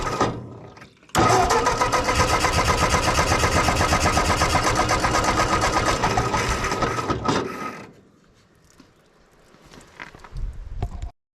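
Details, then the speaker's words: Ford 8N tractor after carburetor rebuild: steady chugging about four beats a second, then winds down and quits; hard starting, cranks without staying running. Owner suspects an intake leak or low compression, not confirmed. "well this thing is being awfully stubborn again I'm not sure what we got going on"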